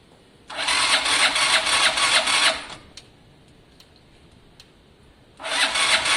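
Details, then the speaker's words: Gilera DNA scooter with fuel seen pouring from the carburettor: two bursts of fast, even starter cranking about two seconds each, engine never catches; cranks but won't start, owner suspects no spark. "i don't think there's any spark literally [Music] i don't think there's any spark"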